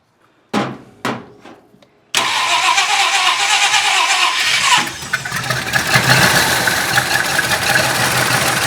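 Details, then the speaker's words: 1966 Ford Country Sedan 390 FE big-block V8 with new performance cam and used heads; cranks, catches, then slow, loping, uneven lazy idle; timing found at 0 degrees instead of the usual 12, so distributor needs advancing. "That's a good thing I checked that. We're at 0 degrees, which theoretically should run, but that could explain why it's so lazy."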